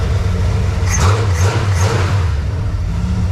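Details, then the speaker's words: Dodge D100 after a Mustang rear fuel tank swap, with dual exhaust and a Russell's filter; a power steering pulley noise was fixed by realigning the pulleys. The engine runs with an even low rumble and a brief rev blip, with no squeal or whine. "that noise is gone. Remember that power steering issue that we had? Well, I played a little bit of pulley games, and now we have an actual nice setup to where the pulleys actually communicate with one another."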